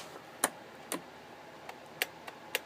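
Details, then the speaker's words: Riding mower with new key switch and solenoid and charged battery: a few light irregular clicks from a sensor when key is turned, no cranking; motor known to turn when battery jumped directly: starter click, no crank. "That is that little sensor thing clicking. I have no idea why it clicks, but that's all it is."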